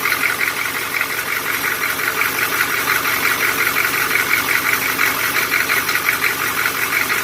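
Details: Old 6.2L diesel, sat unused 10+ years, idling with sharp regular clatter about three times a second; injector knock caused by weak or stuck injectors failing to reach pop-off pressure, effectively advancing injection timing.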